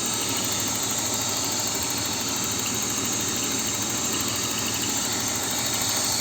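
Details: BMW E39 with M52B28 petrol engine idles steadily with a fast, light ticking running through its hissy, bright sound.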